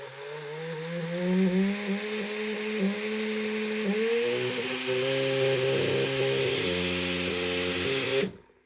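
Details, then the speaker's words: Large brushless DC motor with rear cooling fan, run on a 30A drone ESC: high whine with wavering, stepping pitch and rough buzz underneath; motor ran unevenly and vibrated too much, so it was removed. "Got rid of that motor. It was driving me nuts. It was vibrating too much."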